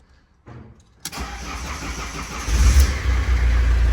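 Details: Fiat Doblo that wouldn't start with hazards constantly flashing, after reinstalling the BCM: quick crank, clean catch, steady even idle with no misfire; engine starts normally.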